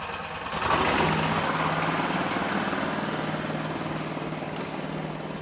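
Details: Gas golf cart after replacing blown exhaust gasket: key-start, small engine settles into steady, much quieter idle putter, no puffing or ticking from exhaust; sounds perfect.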